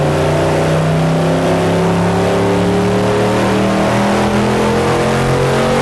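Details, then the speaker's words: Built all-aluminum Chevrolet LS 5.3 L V8 bound for a 1999 Porsche 911, final dyno run at full throttle with plenty of timing, 299.8 hp: loud roar climbing smoothly and steadily in pitch with no stumble, pop or knock; a healthy pull. "it said up there it said 300 I'm claiming it we round up we're done let's wrap it up look up there look up there look at off the charts we are back from the dyno my little 53 made 299.8"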